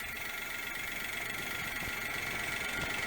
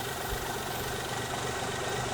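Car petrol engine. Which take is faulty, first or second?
second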